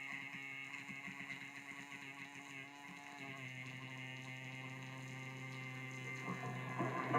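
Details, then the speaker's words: Recapped MoPar 802 car radio from a 1948 Plymouth, idling at 6.3 V and 6.6 A: a quiet, constant buzzy hum that stays even with the volume down; hash from the worn original vibrator, which needs replacing. "so let's see if she's gonna go today yeah she's running that noise is the is the hash from the vibrator"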